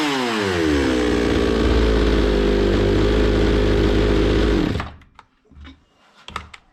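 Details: Zomax 5020 chainsaw that wouldn't run or take throttle; carburetor cleaned, still stalling. Holds a buzzing high idle, sags slightly, then cuts out dead after about five seconds; carb mixture screws need setting.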